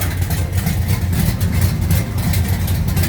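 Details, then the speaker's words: 1969 Charger V8 back together after chasing a noise traced to cylinder number 7, with the pushrod checked straight: a deep, lumpy idle with a steady loping beat and no ticking; the engine sounds healthy. "What's going on guys? Got it back together. Sounds good."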